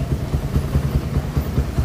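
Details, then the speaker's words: Suzuki Satria FU with racing exhaust after carburetor rebuild, pilot jet changed to 17.5 and exhaust leak fixed: regular low exhaust pulses at even idle, no puffing or ticking; engine healthy. "Tadi sempat knalpotnya ada bocor, diperbaiki ya. Sudah diperbaiki. Nah, sekarang suaranya sudah enak."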